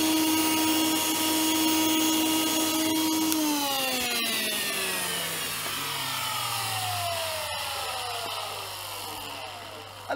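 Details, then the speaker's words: Miele S7260 (S7 series) vacuum cleaner after new motor bearings: harsh raspy motor whine falling smoothly as it spins down, rough scratchy edge; worn carbon brushes keep it noisy and running hot despite clean fan. "bit better but the carbons about this doesn't help despite the fad being clean it sounds awful and runs hot but it does run"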